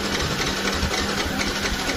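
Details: Yamaha R15 motorcycle that won't start at all, check-engine light normal: quick, even starter cranking with light, soft compression pulses and no firing; low compression from a leaking exhaust valve held open by carbon.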